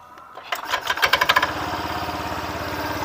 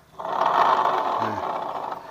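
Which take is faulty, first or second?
second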